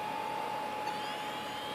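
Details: SyQuest SparQ external backup drive, 17 years in its box, powered up: steady, clean mid-pitched whine holding a single note as the spindle comes up to speed; the drive spins up and works normally.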